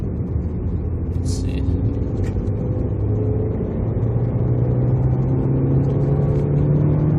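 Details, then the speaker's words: 2013 Dodge Dart with P0299 underboost code after temporary fixes (new vacuum line, split intake elbow sealed with RTV and tape), 14 psi boost in fourth: engine note rises steadily under load, no throttle-following whistle; boost sounds sealed. "i also don't hear the whistle anymore so that's good"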